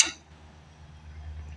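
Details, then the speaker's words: Propane fuel solenoid valve on a 1970s 20 kW generator, bypassed by clipping it straight to positive: one sharp metallic click as it snaps open, then a faint low hum; some fuel then flows, but not enough. "You'll hear a clicking from the solenoid when that happens."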